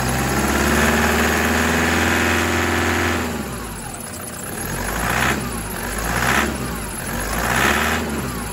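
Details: 2008 Toyota Prado 120 with a brand-new 1KD diesel, turbo and injectors, on a 5 °C morning with coolant near 7 °C after about a minute. Gentle revs to about 2000 rpm give an even cold clatter and a faint chirp from aftermarket belts. Normal until warm.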